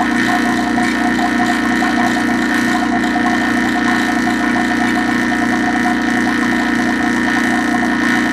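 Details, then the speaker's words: Vacuum pump evacuating a reach-in condensing unit after compressor replacement, thumb over pump outlet, low side pulling down toward 500 microns: constant even mechanical drone with light steady chatter, no labouring or surging; normal vacuum pump operation. "so I put my thumb over the outlet of the back your pump and you can hear that coming out and you can also see that is going down"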